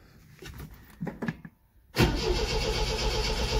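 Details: 1974 MGB GT after 7–8 months sitting, with the choke pushed back in and the battery getting flat; spark at the plugs unchecked: starter churns unevenly in weak bursts, then a steady heavy crank, but the engine never catches; cranks but won't fire.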